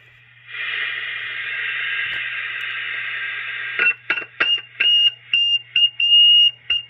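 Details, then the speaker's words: Taiwanese-made Cobra 148 GTL CB radio on the bench, high noise floor and squeal from odd mods; after removing a cap, touching a heavily reflowed board area brings steady hiss then stuttering bursts of thin high-pitched whistle, suspected fault or mod there. "it's that same high-pitched whistle so something's going on this area here"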